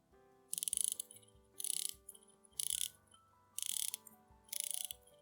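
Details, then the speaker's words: Brand's first mechanical watch, unlisted movement, held to the microphone while winding the crown; loud slow pronounced ratcheting clicks about once a second rather than the usual soft rapid clicks; normal winding clicks. "Yep, that is so wild. Plus it's very clicky. A lot of times it's almost like more of a shh sound with just really small rapid clicks in there. These are like slower clicks and much more pronounced."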